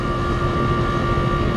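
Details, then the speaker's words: Outdoor AC unit running on R-410A, suction pressure at 111 while charging, owner told it needs replacing: loud rough low drone with steady hum; compressor harsh and labored, likely failing. "I don't know if y'all can hear that compressor, but it's just going, I mean,"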